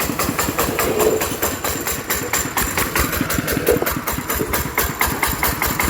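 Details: ET 110 single-cylinder diesel after repair for a loud knocking (suspected connecting rod bush or crankshaft damage) and reassembly: even, steady firing thumps at a settled idle with no knock or extra clatter; normal running.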